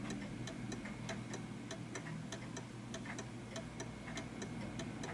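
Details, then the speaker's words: Art Deco chiming mantel clock with pendulum leg deliberately moved off center: tick-tock around 97 beats a minute with uneven, limping spacing; clock out of beat. "What I'm going to do is when I take the key away, I'm going to move it so that's actually away from the key and bring it back. You can hear that the tick is now off center."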